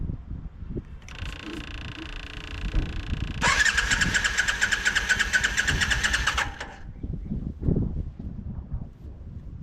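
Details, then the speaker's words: 1987 Yamaha Virago 535, long-sitting accident bike, cranked off a jump box with fresh fuel: uneven whirring cranking bursts for several seconds, never catches. Crank, no start with no spark; owner suspects a bad CDI box. "Sit you right there for a minute. That thing didn't get no fire, did it?"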